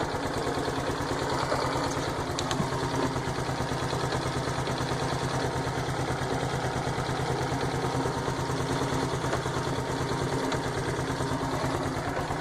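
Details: 2010 Honda Biz 125 just back from an engine rebuild, idling: a steady light knock rides each firing stroke, around three per second. The mechanic says it is piston skirt slap; the owner doubts it. Cause unconfirmed.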